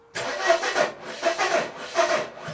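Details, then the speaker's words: 1994 Mercedes W202 C180 after wiring work: starter surges and stalls in four uneven bursts, spinning then dragging to a stop, never firing; fuel present but no spark, owner suspects engine locking at some stage, not wiring; no start. "That kind of crank is like, it's going on and then stopping, going on and then stopping. So I don't know, something is wrong there. It's not even making an attempt to fire up."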